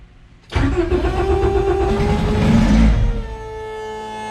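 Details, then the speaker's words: Race car just started after its ECU came back: the engine catches sharply and is held on the throttle, revs sagging and wandering without gas. It won't idle because the noisy idle air control valve was unplugged. "i know why i won't idle where'd it go i unplugged the idle air control valve because it was making a bunch of noise"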